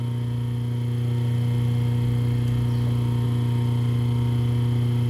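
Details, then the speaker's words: Rewound three-phase motor on 220 V single-phase mains with a permanent capacitor, delta-wired, running counterclockwise; steady low smooth hum with no knocks or rubbing: normal running on capacitor. "Então vamos ligar e vamos ver. Tá rodando sentido anti-horário, tá?"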